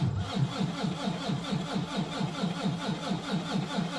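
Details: Volvo VNL D13 diesel truck, cold start at about −10 °C outside, oil −14, battery 11.6 V: steady starter churn with even compression pulses, about four per second, never catching; long crank, no start, owner suspects injectors.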